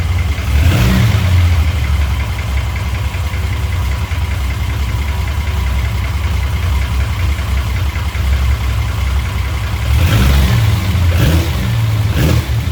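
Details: Chrysler VIP Hemi 245 six after an ICE ignition install (timing 16° at idle, curve from 1000 to 2900 rpm). A steady, even low idle with a smooth rumble, then a couple of quick, clean throttle blips; runs healthy.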